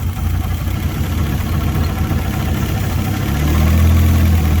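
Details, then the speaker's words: Fiat Punto GT Turbo idling, not started in over 12 months, poor cold starting; chuffing noise, idle revs fluctuate when carb cleaner sprayed near intake manifold, revealing an intake manifold air leak. "yeah so we've got an air leak on the intake manifold somewhere [Music] yeah you can hear the ropes fluctuating every time it gets a little bit of extra combustibles"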